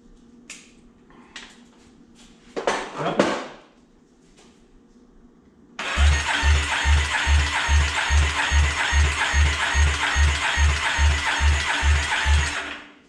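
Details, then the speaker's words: 2008 Yamaha Raptor 350 ATV cranking after valve adjustment (intake 3-4, exhaust 7-8 thousandths); steady even cranking thumps, never fires; compression rose only 10 PSI, top end worn out. "Came up a little, came up 10 PSI, so the valves were a little out, but that top end is smoked."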